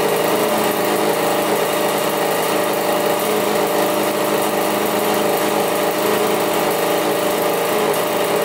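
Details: Rebuilt 1985 Yamaha YZ80 two-stroke dirt bike, first start on 41 premix: crisp high-pitched buzz holds steady and even with no knocks or rattles. Runs really good; the water pump looks to be working.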